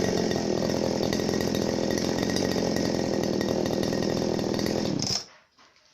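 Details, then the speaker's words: Genuine Makita RBC411 two-stroke brush cutter: steady high-revving buzz described as deep and soft, slightly nasal, even until shutting off near five seconds; running normally. "เสียงจะทุ่มนุ่มลึกนะครับก็เสียงที่นุ่มๆครับ"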